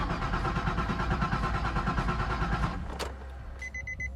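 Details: Nissan 350Z with suspected harness short, after putting the original IPDM back with new relays, cleaned grounds, fuel pump not shutting off: starter cranks at an even rapid beat under three seconds without catching, then chimes; cause not confirmed.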